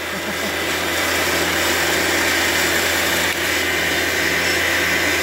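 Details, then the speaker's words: Valve grinder refacing a valve from a Fordson E27N Major tractor engine, coolant running on the valve: even, steady grinding hiss over constant motor hum, no knocks or chatter; normal valve refacing. "There it is, running out nicely on the valve. There we go, you can just hear it."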